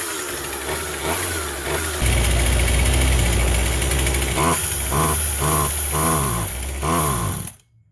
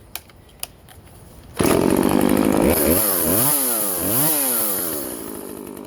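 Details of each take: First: Vintage Husqvarna 136 chainsaw, California emissions model: fires and runs but surges and bogs, stumbling instead of clearing out; owner first suspected carb, later found plugged muffler. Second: Vintage Husqvarna 136 chainsaw, California emissions model, after clearing a plugged muffler and carb work, cutting wood: crisp start, then a strong, clean two-stroke scream that dips and recovers smoothly under load. Normal running under load.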